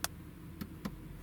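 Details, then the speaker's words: VW group car in a quiet cabin, scan-tool actuation test of the front passenger window regulator: three short dry clicks with no motor run following. The motor clicks without moving the window; a fault is suspected, not confirmed. "Now we heard something move there, but it didn't actually do anything. Which is quite strange."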